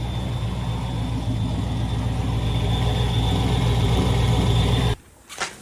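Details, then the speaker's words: Nitrous Mustang after a torched head and melted spark plugs were repaired: a steady idle with an uneven light ticking at about 220 per minute under the rumble. Owner suspects valve train noise and plans to recheck valve lash. "there's definitely something that's a little noisy in there maybe the valve train may have to check the valve lash once more and just double check it but something's making some noise I don't like it"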